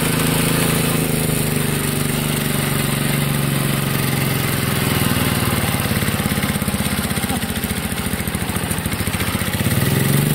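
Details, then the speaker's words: 1963 MTD Lawn Flite lawn tractor after ignition rebuild, mowing: small single runs hard and fast with buzzy, slightly hunting pitch under load; overspeeding, owner says governor and throttle aren't right, had to throttle all the way down. "the throttle and the governor aren't quite right it started to run in a bit too fast and I had to throttle all the way down"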